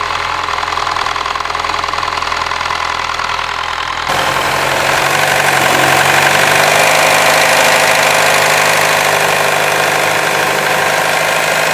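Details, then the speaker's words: Mini Cooper S R56 N14 engine at idle with a dry metallic rattle heard at the front timing cover; timing chain tensioner failure, worst on cold start-up mornings with low oil pressure. "And you can hear the rattle right from the front of the timing cover right here."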